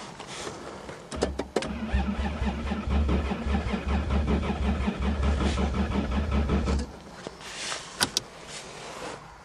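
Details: Toyota Cressida with rusty shock towers, cold start in freezing weather on a weak battery; fuel pump not heard running, owner suspects it froze. Starter churns steadily about five seconds, engine turns over evenly but never catches: cranks without starting.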